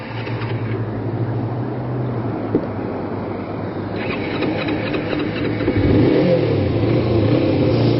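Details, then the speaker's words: Kawasaki Ninja 250 (EX250), carbureted, cold after sitting about a week: stalled when the choke was turned down too early; held on the starter, caught with full choke and throttle, revving unevenly, then idling about 4000 rpm. Cold stall from choke reduced too early. "So what I'm going to do here, I'm going to turn down the choke a little. That's pretty much it. We're underway. And the bike is stalled."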